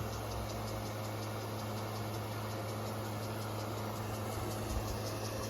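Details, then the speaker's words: GE 6200 BTU clear view window AC at its final startup after cleaning: a steady, even hum with a low drone under a hissing wash from a nearby hose that masks the compressor; runs smoothly with no knocks or rattles. "Hard to hear the compressor over that awful hose."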